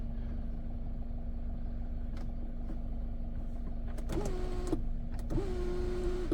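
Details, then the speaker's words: 2014 Volkswagen Passat sunroof vent: two short electric motor whirs with a steady hum, each stopping cleanly without grinding or strain; the vent works normally. "Okay, so that's a vent. A vent works."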